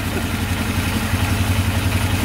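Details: Polaris Sportsman 500 4x4 ATV, first start after fixing its no-spark problem. A quick, even single-cylinder putter at idle with no knock or miss; it runs steady and smooth.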